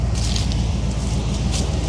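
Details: 1978 GMC Jimmy / K5 Blazer, chopped, mostly new parts, after sitting for most of a year, heard under the hood: deep steady V8 rumble with even beat, no knocks or misses; normal idle.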